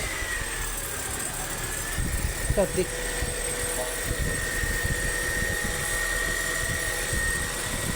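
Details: 2004 Honda City i-DSI that had a no-crank, no-start problem, after the starter solenoid contacts were replaced. The engine catches and settles into a steady, even idle with a faint whine and no knocks or misses; healthy.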